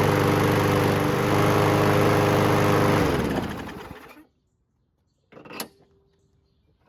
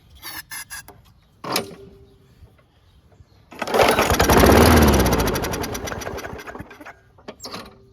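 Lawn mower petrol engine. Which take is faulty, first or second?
second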